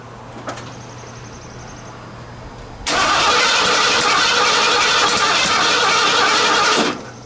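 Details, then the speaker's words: Junkyard Bullnose Ford truck after EFI-to-carb swap: about four seconds of steady cranking that never fires; timing set to 10° with piston at top, but distributor rotor found pointing 180 degrees out, crank-no-start. "Now you look at my rotor should be over here. That is 180 out. Pretty sure I had the piston on the compression stroke."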